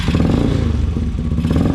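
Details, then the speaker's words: Yamasaki 2022 YM50 swapped to a 125cc engine, running with an unbaffled exhaust: loud, deep, rapid, even popping with no knocks, a healthy single that just sounds like a big bike. "as you can hear the exhaust has no buffles and it sounds like an absolute B so this bike actually sounds like it looks like it looks um like a big bike and it sounds like a big bike"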